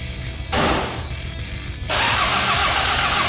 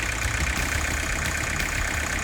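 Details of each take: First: 1984 Ford Escort diesel barn find, cranking on fresh fuel from a can after bad fuel was dumped. Starter cranks steadily at about four turns a second but it never catches; air in the fuel lines from disconnecting them means the injectors need bleeding. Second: 1984 Ford Escort diesel barn find, non-running for years, first start on fuel from a can, fuel flowing through the return line: steady, even idle with a solid low thrum, no knocks or misses, heavy smoke; running healthy.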